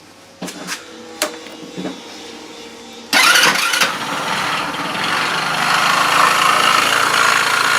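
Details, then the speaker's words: Bashan BWS 2 scooter with 157QMG engine, running after variator/clutch disassembly: steady beating knock about four per second after starter clicks, now louder and distinct; source unknown, engine to be removed and dismantled. "Ну в общем как вы слышите звук ещё даже громче стал сейчас слышно его отчётливо какое-то биение поэтому снимаем двигатель и Разбираем его"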